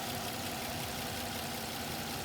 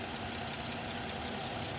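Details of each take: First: 2006 Suzuki Vitara petrol engine idling steadily, slightly high, with a constant airy hiss from a vacuum hose unplugged to create a leak; MAP voltage rises and fuel trims add fuel. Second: 2006 Suzuki Vitara petrol engine idling steadily with an even, low hum and no misses or knocks; the vacuum hose has just been plugged back after an induced vacuum leak, so the idle drops lower again during MAF/MAP sensor testing.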